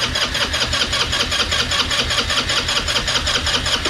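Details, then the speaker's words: Chinese GY6 scooter, 150cc QMJ engine, after sitting nine years: the starter churns at about 2.5 beats per second with closed throttle and it never fires, because no fuel is reaching the engine yet; it ran after more fuel was added. "sure you don't want me to open the throttle at all ain't got no fuel coming in here yet"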